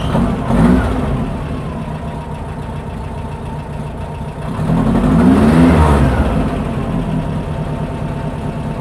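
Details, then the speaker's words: Engine idling after valve spring shim installed in the head to cure a clickety-clack: steady even idle around 800–850 rpm with one brief throttle blip, no clack in the former problem area; healthy. "okay rpms lot 800 850 somewhere in there there is no class this is where the area where the plaque was"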